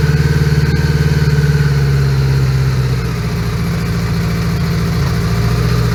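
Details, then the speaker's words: 1980 Honda GL1100 Goldwing four-cylinder, started totally cold at about 3°C after carbs were cleaned and fully overhauled; lumpy, uneven idle pulse losing its steady beat. Rough uneven idle, owner suspects carbs need synchronizing. "Okay, we let it warm up a little bit because it doesn't like to idle even."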